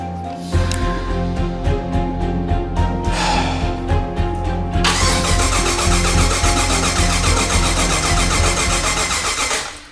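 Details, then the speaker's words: Engine cranks steadily at about 3.5 cranks per second but never catches. There is power to the coils and injectors, yet no spark and the injectors aren't firing. All eight coil packs were later found dead; one new coil restored spark. "No sparky. I don't hear it. Power to the coils. Power to the injectors, but they're not firing."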